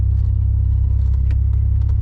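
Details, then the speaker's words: Supercharged Pontiac Bonneville SSEi while driving: deep steady whirring under road rumble that does not follow engine speed; something rotational, suspected tire or axle, cause unknown. "Sounds like something rotational. That's weird."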